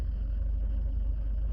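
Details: Suzuki Carry, after failing its MOT on exhaust lambda emissions, run with fuel treatment and E10 super unleaded and warmed up to temperature: low, even, smooth idle with no rattle or tick.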